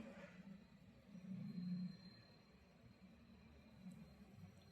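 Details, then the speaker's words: Double-door inverter refrigerator that wasn't cooling because its compressor wouldn't run; after freeing a stuck timer (no leaks, PCB fine): low steady hum with no clicking or cutting out; compressor starting and running normally. "दोस्तों, compressor भी चालू हो गया है। आप भी इसे महसूस कर सकते हैं, दोस्तों। आपको आवाज जरूर सुनाई दे रही होगी।"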